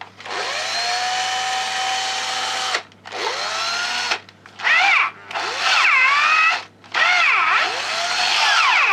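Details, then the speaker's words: Old cordless drill-driver run from a homemade mains power supply (transformer, capacitor, used parts) instead of its dead battery: motor whine sags under load, clutch ratchets and slips at setting eight and the second-to-last; weaker than on battery. "і на восьмій спрацьовує на передостанній Вже трещтку не тягне"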